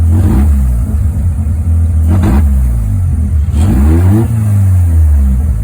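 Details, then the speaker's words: Mazda 13B rotary Willys Jeep with FiTech EFI before retune; note dips and hesitates each time throttle opens quickly from above idle, then picks up; owner unsure if too little or too much fuel: lean stumble on acceleration. "especially rotary guys little stumble if you open up the throttle too fast so is it not enough fuel or too much fuel"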